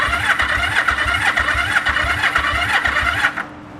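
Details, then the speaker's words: 1974 Yamaha TX500 twin, sat 20+ years, tank just filled: steady rhythmic starter churning at about four compression strokes a second, never catching. It cranks and has spark, but the owner suspects no fuel is reaching it. "I am getting spark. There's a possibility it's not actually getting fuel."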